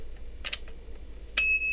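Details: DT830D multimeter: after handling clicks, a steady high continuity beep with nothing connected, stopping briefly then resuming; caused by a burnt SMD resistor (132), fixed by replacing it.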